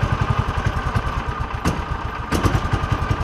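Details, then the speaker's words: John Deere Gator with Kawasaki engine; uneven idle trying to die out while choke and throttle are feathered, plug comes out wet; weak spark from failing ignition coil, replaced. "y'all can see me Feathering that you can hear it trying to die out now y'all can see me Feathering the choke and all that stuff and it's like a balancing act choke throttle all the time then it finally hits"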